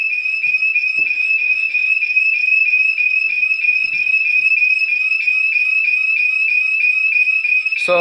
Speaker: now the base station is in the other room which is over here and it just went off